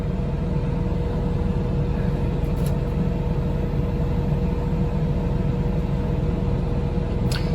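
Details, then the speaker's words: 2023 Coachmen Nova 20C's Cummins Onan generator after the recall fuel-line fix for vapor-lock stalling, loaded by the Truma A/C blowing cold air. A low, even rumble and steady hum that holds without surging or dying; normal running under load. "we'll see if the generator continues pumping cold air our generator stays on while it's pumping cold air"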